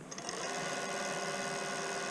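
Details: Bafang 1000W 48V mid-drive e-bike motor after replacing the slipping nylon one-way roller bearing clutch: smooth, even mid-pitched whir with steady tone, no clicking or grinding; drive turning freely, fixed.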